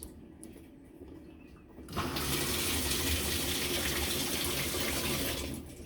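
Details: Whirlpool commercial washer in manual test mode, lid locked, cold water fill; water comes on abruptly and rushes at a steady hiss for a few seconds, then shuts off cleanly, a normal inlet valve fill.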